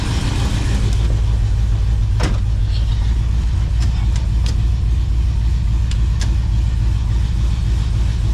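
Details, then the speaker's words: 1978 Chevy Camaro drag car V8 just started after battery relocation, starter replacement and rewiring, fuel pump priming: deep rumble with scattered sharp pops and bangs because ignition timing is off, still to be adjusted. "Timing is off. It's popping and banging, but it is done."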